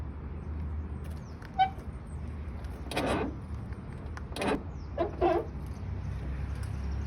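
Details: Car door making short squeaky creaks over a low steady hum from dry plastic parts; penetrating oil and grease didn't stop it, and white lithium grease for plastic is recommended.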